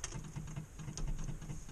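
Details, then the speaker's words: Morris Minor just converted from electronic ignition back to points, battery at 12.2 volts, ignition on before cranking. Quick, even low ticking several times per second as the fuel pump primes normally. "Hear the fuel pump are going."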